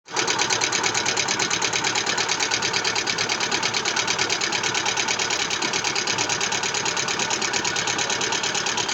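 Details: Lada Vesta engine: rapid, sharp metallic clatter ticking evenly throughout; engine knocking with low oil pressure.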